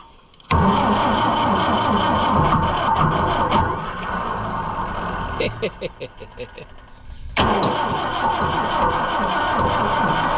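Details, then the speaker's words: Oliver 550 diesel tractor: steady cranking at about three turns per second with a few puffs but no start; no fuel comes out of the removed number one injection line; gummed-up, stuck injection pump. "I pulled the number one injection line all the way off and I'll crank it and no fuel comes out. Like none. So, this one is just like that other one, but worse. It is gummed up and stuck and it's not going to do thing."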